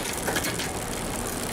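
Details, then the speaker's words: Newly built mountain bike with a SRAM X7 rear derailleur after B-screw adjustment: light, even ratcheting whir with no chain clatter or skipping; shifting cleanly and quietly at the sweet spot. "See, that's nice and quiet. You just want to get it adjusted until you find that sweet spot."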